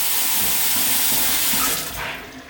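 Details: Tap at full flow after re-tightening the tap washer assembly to fix hammering and shuddering: steady even hiss of water, no shudder or knocking.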